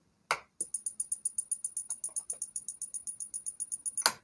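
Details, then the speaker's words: Onida 20-inch colour TV with back opened, supply board switched on again: sharp, even high ticks about eight per second, nothing else running; fault somewhere on the board, section not yet identified. "देखिए दोस्तों, इसके अंदर से कुछ आवाज़ आ रही है, तो हमने इसको खोल रखा है।"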